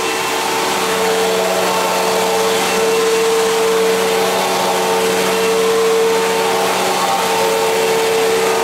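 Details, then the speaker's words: 1999 Fantom Fury vacuum cleaner running: steady motor roar with a mid-pitched whine coming and going every second or two, occasional and unlike owner's other Fury; intermittent whine, cause unknown. "it also sounds different than my other Fury it only happens occasionally though where you can really hear it"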